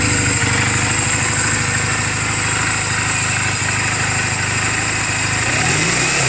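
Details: 2007 Honda Rebel 250 idling in neutral just after an oil change and valve clearance adjustment: an even, steady single-cylinder putter with no ticks or knocks and a throttle blip at the end. The engine is mechanically sound, a normal healthy idle.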